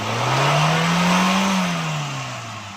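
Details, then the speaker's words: Suzuki Alto VXR that misfired and wouldn't exceed 80 km/h, after throttle butterfly adjustment: revs climb smoothly, hold clean and settle without stumbling or missing; normal revving after repair. "जी दोस्तों, हमने इसका बटरफ्लाई वाला सिस्टम अभी सेट किया है तो गाड़ी अभी प्रॉपर सही हो गई है।"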